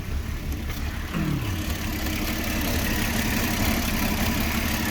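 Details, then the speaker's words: 2006 Porsche Cayenne with rough idle despite new spark plugs and coils: uneven lumpy idle with irregular low thumps about three a second, engine shaking; owner suspects vacuum leak or throttle body problem. "New spark plugs, new coil plugs, and still is engine shaking."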